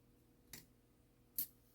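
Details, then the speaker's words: Shanghai 555 Chinese clock movement after cleaning and repair, single half-hour strike tested with hammers not yet fitted: two sharp dry clicks under a second apart from the strike train; abnormal click, cause unclear. "I don't like the noise that thing makes but I guess you won't hear because it'll be gonging"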